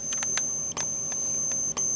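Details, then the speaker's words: System Sensor P1224MC horn-strobe on full-wave rectified (FWR) power from a Kidde FX panel: thin steady high whine, with a sharp click and brief dropout about once a second as the strobe fires; the strobe's capacitor buzzing loudly. "And as you could you can I don't know if you can hear that but the strobe is buzzing very loudly because of the capacitor and two it's it's running on FWR as you can see."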